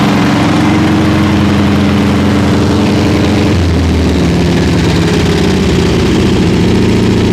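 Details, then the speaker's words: Rebuilt 40hp air-cooled VW flat-four in rat rod truck (rebuilt carb, welded exhaust), idling during break-in after clearing gas-tank debris that blocked fuel: smooth, even low thrum, no tapping, misfires or hunting; normal idle. "you're doing good all right we'll uh let idle for a minute and we'll shut it off sounds good"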